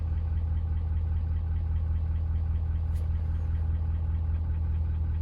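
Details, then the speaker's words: 2019 Ford F550 6.7 Powerstroke diesel at idle, tuned, complaint engine knocking: steady knock two or three times a second that stays when injectors (number 3, 5, 7, all) are disabled, so a mechanical engine knock, not fuel knock; cylinder 5 contribution/balance code stored. "But this is just, engine knock. So go to number 5. It's still there."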